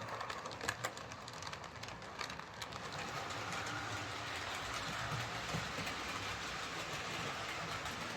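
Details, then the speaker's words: Bachmann Webb Coal Tank 0-6-2 model locomotive pulling coaches after fixing a bad wheel flange: light even rail clatter with gentle ticking over joints, no knocks or clunks. Runs smoothly after repair. "Yep, that's all it was, just that bad flange. So let's pull this out again with the coaches. No problem at all."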